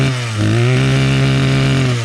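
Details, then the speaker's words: Two-stroke string trimmer: high buzzy note holds steady with only small dips in revs; still bogs at times under throttle, but runs well overall. "but you can hear it runs really good. So, not too bad."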